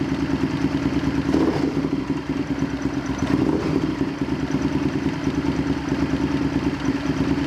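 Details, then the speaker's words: Honda VTR Firestorm V-twin after winding in an adjustment to gain vacuum: loping, slightly irregular idle near three pulses a second; running better but still not right. "so the firestorm is running better but it's not quite right so we're going to leave it there for now"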